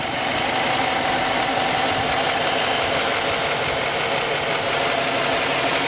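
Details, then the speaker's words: 2016 Dodge Charger Police 5.7 HEMI V8, RWD, 68,000 miles, freshly serviced with new plugs, oil and air filter: even, steady idle hum with no ticks, knocks or clunks. Normal idle. "There you guys have it. No funny noises, no funny ticks, no funny clunks. She's solid."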